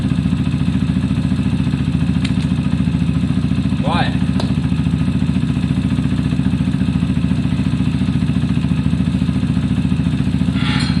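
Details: Zontes single-cylinder motorcycle that used to cut out when stopping, after valve clearance check (0.10/0.15 mm), warmed up: steady, even idle with no misses or stumbles; runs cleanly without cutting out, problem solved.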